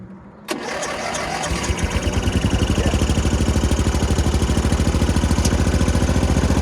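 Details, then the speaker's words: Homemade 4x4 mini Jeep, just refilled with oil (slightly overfilled) before its clutch and belt work: catches quickly after a brief crank, then a steady even idle pulse; started easily, sounds happy, normal start and idle. "Sounds pretty happy. It started pretty easy, so I'm good with that."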